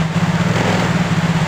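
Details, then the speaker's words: Yamaha Mio J scooter after new original injector replaced clogged one with damaged socket: steady low even putter, no knocks, misses or rattles; normal idle after repair. "Oke untuk gelangnya sangat normal sekali ini tidak ada masalah ya ini sudah mantap"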